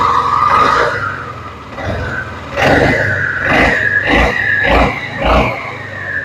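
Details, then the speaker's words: Suzuki Burgman 400 (2007–2017) CVT: rising whine in rev bursts with a bright metallic ting as the clutch shoes and springs expand and contact the bell housing. This is normal operation. "It's doing exactly what it should be doing. That tinging is very normal because what's happening is when the clutch makes contact with the bell house, it gives a big ting."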